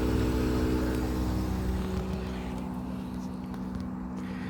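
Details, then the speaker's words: Mitsui air conditioner outdoor unit with PC04 error, unit in warranty, indoor unit blowing no air; phone held close; steady low drone with a rough uneven rumble, quieter than before but still abnormal. "so yeah this is some some running um learning sound is there but not like before but still there is some noise you can hear it"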